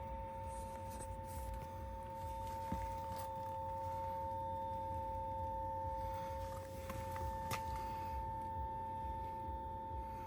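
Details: Lotus Eletre R electric SUV, parked with the pedals partially open: a steady two-note electrical buzz that stopped only after unlocking it, driving a few feet and turning it off; buzzing noise while parked.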